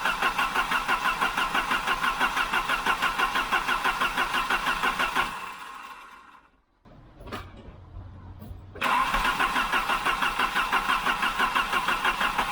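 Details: 1988 Volvo 740 GL, B230F 2.3 petrol redblock, stored almost 10 years, new fuel pump and filter, old fuel diluted with fresh: even cranking about three beats a second, pause, more cranking; turns over well but only just tries to catch.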